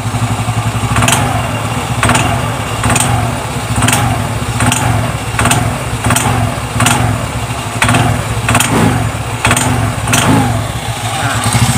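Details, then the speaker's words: Xeon GT125 scooter: sharp metallic clunks about once a second over a low engine rumble from the CVT box when throttle is first applied, traced to worn rear clutch dampers; CVT cover opened. "kayak gitu ya bunyinya ini bunyi Cecak Ya di bagian kulit belakangnya ya"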